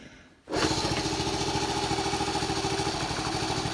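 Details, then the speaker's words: 1974 Honda C50, unstarted about four to five months since July, kick-started cold with choke reduced: fires into a ragged, uneven putter for a few seconds then dies; catches briefly, owner suspects ethanol-affected fuel, not confirmed. "Oh, nearly there. Come on. So close."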